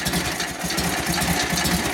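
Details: 1942 Harley-Davidson WLA 45ci flathead V-twin, after sitting a few years and rebuild/tune-up, started without priming: even sustained loping idle without stumbles or clatter; normal running.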